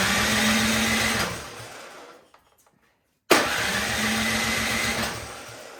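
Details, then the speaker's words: Troy-Bilt snowblower small engine, choke on, key in run, primed, on electric start: it catches and runs briefly, fades out, fires again and dies; spark present, so dirty carburetor starving it of fuel. "okay we do not need to test for spark it is firing um but it's dying so that tells me there's something going on with the carburetor"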